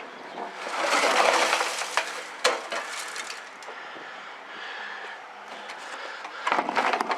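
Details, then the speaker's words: Removed fuel tank from a 1969 Lincoln Mark III, rusted and brazed-patched, tipped end to end: loose gritty rattling and sliding scrape of debris; tank full of rust scale, replaced. "I just think there's a lot of rust in there and a lot of junk so that was a must do to change that tank out"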